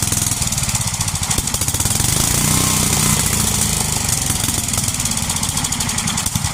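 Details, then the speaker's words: 33-year-old Homelite 8 hp 4,400 W yard-sale generator: single-cylinder chugging at steady even beat, loud exhaust buzz; makes power but leaks gas. Normal running. "All right. Well, so it works. It runs, makes power, leaks gas."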